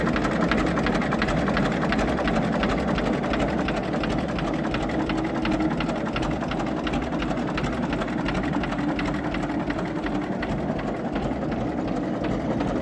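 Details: 1934 Deutz F2M315 tractor with 25/28 HP two-cylinder water-cooled Deutz diesel, first start in 10 years after a few failed attempts; slow, steady chugging idle with even beats and no knocks or misses; runs smoothly.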